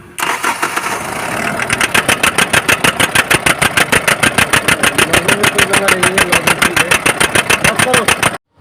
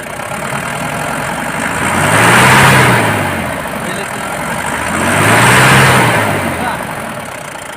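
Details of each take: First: BS4 common-rail diesel vehicle, codes P171A/P1B87: after starting, engine chops on and off in hard regular bursts, about three per second, steady cut-cut-cut; injectors checked fine, rail pressure sensor fault suspected of cutting fuel control. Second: BS4 common-rail diesel idling steady with a soft, even clatter and gentle slow swell, no misfire or hunting; earlier cut-cut-cut sound blamed on rail pressure not building (codes P171A, P1B87), injectors checked fine.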